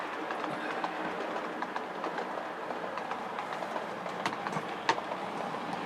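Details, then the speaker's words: Class 37 model locomotive, running on 28 speed steps: quiet smooth running, light clicks crossing the points, no gear whine or grinding; normal running. "So there we are, that's what it should be. That's the sound of going across the points."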